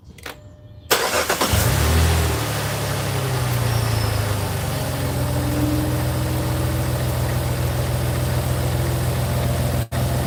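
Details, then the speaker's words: Jeep Grand Cherokee after belt tensioner replacement: engine cranks, catches quickly and settles into smooth, even idle with no flopping or rattling from the belt drive; belt still shakes slightly, may need replacing; healthy idle. "Alright, it's good now. This was really flopping and wobbling before. It was really bad before."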